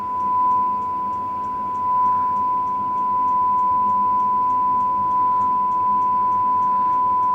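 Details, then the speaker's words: HMV "Little Nipper" 63-53 valve radio whose fault is fading volume (leaky cap to the 6M5 grid suspected). During alignment at 1400 on the dial, a steady ~1 kHz generator whistle with faint ticking holds while the aerial stage is peaked on the meter. "We'll put up with that noise while we're doing this. We're trimming this fella here, maximum signal."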